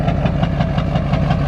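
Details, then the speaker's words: Duramax diesel truck smoking at idle: loping, uneven low chug with a regular knocking pulse; running rough, owner suspects a dirty injector stuck slightly open, not confirmed. "So I think I just got an injector with some dirt in it for real. I might be stuck open a little bit,"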